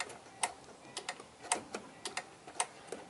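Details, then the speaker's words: Firus vehicle hazard/emergency lights on: sharp paired ticks about once a second, steady and even, from the small black flasher relay box; normal relay clicking. "I found out figured it out this little black box that is the relay for the park anywhere lights"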